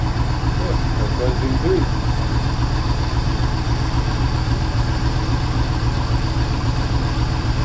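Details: Project boat, port engine at its first start-up on a water hose: steady low rumble with an even firing beat at about four per second and no tapping or knocking; sounds good, unlike the starboard engine with its suspected rod knock.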